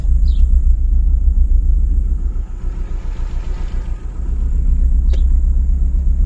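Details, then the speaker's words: Chrysler PT Cruiser cabriolet with check engine light: deep uneven idle with irregular stumbles, worsening misfire; code P0302 cylinder 2 misfire, coils, plugs or injectors suspected. "Ça a l'air de rien comme ça mais ça me fait des [ __ ] de ratés. C'est pas nouveau mais ça s'est salement amplifié là."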